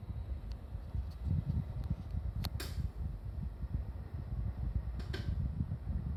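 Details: Mitsubishi MSZ-HR25VF air conditioner indoor unit: steady low fan hum with two or three sharp, isolated cracks a few seconds apart; popping persists after heat exchanger replacement, cause unknown.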